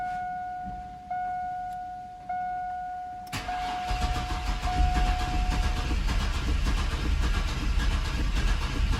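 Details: Chevrolet S10 unrun for 5 years, after a fuel tank swap, start attempt using starting fluid: a dash chime, then steady starter cranking that never catches. Cranks but won't start; fuel delivery at the fuel line is checked next.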